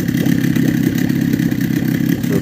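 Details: Small outboard motor idles steadily with an even, rapid putter and no misses or stumbles, after sealing a fuel-filter air leak and flipping a reed petal to seal better, fixing earlier sneezing; normal idle.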